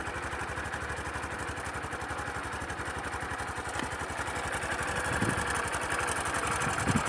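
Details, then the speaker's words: Sundiro Honda CBF125T motorcycle idling, recorded on a phone: fast, dry ka-ka-ka clatter about four a second over the small single's idle, fairly loud but not affecting riding. Engine timing chain rattle. "现在应该非常明显，就那个咔咔咔咔的那个声音。是不是挺响的呀？但不影响骑行嘛。"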